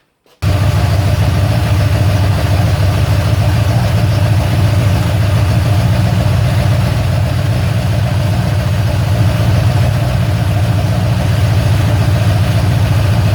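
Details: Ford Falcon XC GXL's restored 351 V8, warm with thermostat open, while idle is adjusted: a deep, steady, even burble at a slightly high idle with no misses or knocks. Normal warm idle.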